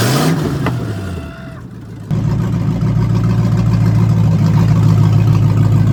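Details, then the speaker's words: Ford Mustang with welded-together automatic transmission: engine flares, sags, then holds a loud steady drone with no shift step; kickdown linkage pulled fully up makes it think it is at full throttle, keeping it in first, and a return spring is planned. "So basically, it's just this little guy right here. It's pulled all the way up, so it's basically thinking it's at like full throttle."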